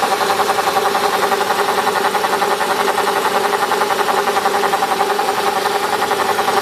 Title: CLK 500 buzzing sound